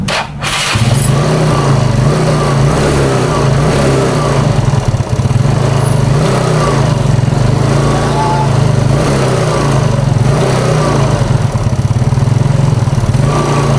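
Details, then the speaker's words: Old carbureted Yamaha Mio Smile scooter, just bought used, weak on power: running rough with a faint metallic pinging rattle that gets louder when throttle is applied. Mechanic suspects the rocker arm and camshaft area before teardown. "Nah, terus suara ngelitiknya itu pada saat ditarik gas itu, jadi suaranya makin kenceng ya."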